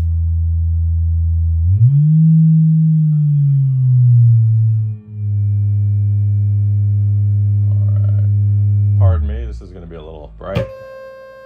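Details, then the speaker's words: 1961 Fender Showman tube amp, vibrato channel on test tone: steady tone with almost no wobble at the slowest speed setting, effect lost there, returns around three; weak vibrato intensity. "Guess we could use a little more intensity. It loses intensity at the lowest speed setting. In fact, it loses the effect altogether."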